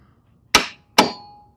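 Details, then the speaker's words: Lawn mower no-start: single click as the key turns, no cranking; starter solenoid suspected, to be tested with a test light. Two sharp metallic clicks about half a second apart, no starter engagement. "A single click when I pull the key or turn the key."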